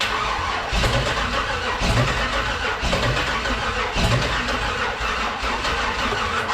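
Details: 1948 Dodge rat rod with LS swap: starter cranks evenly for several seconds, slight popping but never catches; fuel delivery questioned, no start.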